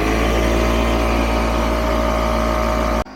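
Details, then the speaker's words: Garage air compressor building pressure for an RV winterization blowout, set to about 20 psi; steady, even motor drone with constant hum, no knocks or surging, then a clean cutoff; running normally. "hopefully you can hear me over the sound of the air compressor in the garage, but I'm just going to screw this in place on my city water inlet, and I'll get that done while the compressor builds up pressure."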